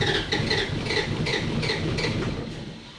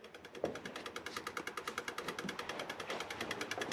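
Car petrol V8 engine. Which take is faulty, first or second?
first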